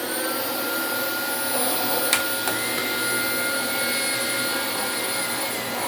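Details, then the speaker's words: Dyson DC25 upright vacuum running: a steady high roar with a thin whistle and faint gear whirr from the brush drive. The small and large brush-roll cogs are dry and were not greased, giving dry gear noise. "all you can hear on this one is the cog on the the big cog on this side there's a small and a big cog and uh both of them are pretty let's just say dry but i didn't feel like popping apart two plastic bearings to grease them so"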